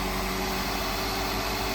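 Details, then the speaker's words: Crashed MK1 Honda CR-V that previously had no spark, now running after a new distributor cap and rotor arm and an inertia switch reset: a smooth, quiet, even idle like a sewing machine, with no ticking, misfire or rattle. "just like most hondas it's like a sewing machine literally probably got the power of the sewing machine as well probably about the same horsepower wise"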